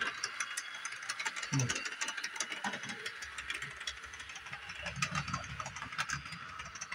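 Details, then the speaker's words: Repaired Bachmann Doodlebug model motor car running slowly at full throttle on 18-inch radius track; quiet motor whir with frequent sharp ticks, likely in the gearing; owner suspects tight curve, unconfirmed. "The middle one, the center one's 18 radius. Maybe it doesn't like that. Maybe that's why it's clicking so much. Or giving me so much trouble."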